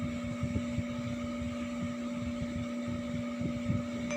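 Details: Epson L3110 inkjet printer with blinking green and all-red lights: steady motor hum under irregular rattling knocks as it grinds loudly without printing.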